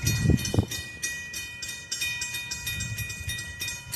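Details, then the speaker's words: Railroad crossing bell on Prescott during testing: rapid metallic dinging, uneven spacing, some softer strikes, sounding lower and slower than the other bell; observers suspect this bell is dying. "I feel like this bell's about to die. Because you can hear it's clanging a little slower."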